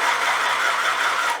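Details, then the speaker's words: Classroom electric pencil sharpener plugged into a power strip runs on its own and never turns off: steady high-pitched motor whir with faint hum, then winding down, no pencil inserted. Likely a mechanical failure, not confirmed. "Hello friends my girlfriend is a teacher and she has a scary pencil sharpener it seems to run on its own it never turns off"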